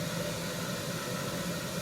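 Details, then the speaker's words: 1974 HydroTherm gas-fired hydronic boiler started for the heating season after cleaning, pilot kept lit year round. A steady, even roar with a low constant hum and no surging or popping as pipes warm; the burner is firing normally. "Everything is going as it should so far so good."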